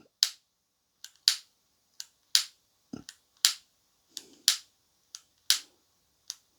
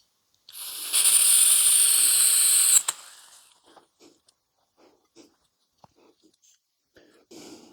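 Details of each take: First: Parkside 3-in-1 gas soldering iron set, first lighting attempt: about a dozen sharp dry clicks at roughly one per second with no whoosh of flame catching; igniter sparks but gas fails to light. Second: Parkside 3-in-1 butane gas soldering iron being primed before lighting: steady hard gas hiss for about two seconds while the button is held, cutting off with a click on release; normal gas flow.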